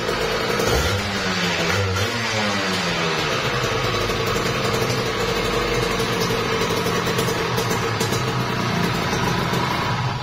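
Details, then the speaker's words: Kawasaki Ninja RR two-stroke, overbored, block and piston check: quick throttle blip then even, buzzy idle, slight smoke, no knocking or rattle from the bottom end; normal idle. "Jadi ini agak asap dikit ya bosku. Jadi di sini buat mesin dia halus banget sih ya."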